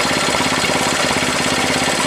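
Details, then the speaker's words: 1967 Honda CL90 running cold while warming up: fast, uneven popping idle with the odd beat dropping out. The small single is missing slightly, cause not yet known. "now to take a while to warm up the run correctly you can hear it missing a little bit"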